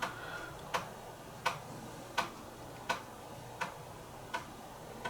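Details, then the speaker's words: Commodore Amiga 1200 floppy drive (previously hit-and-miss) near the end of a full-disk read test after repair: crisp, evenly spaced ticks about 83 a minute over quiet background; normal head stepping, all tracks read, drive working perfectly. "you can put a piezo in there and emulate the sound but it's nowhere near like the original"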